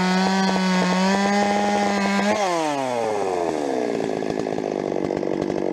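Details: Rebuilt Stihl 026 two-stroke chainsaw, cutting: high steady scream drops as it loads into the cut, then uneven crackle and popping at the top end; mixture tweaks didn't help, owner suspects spark plug too hot.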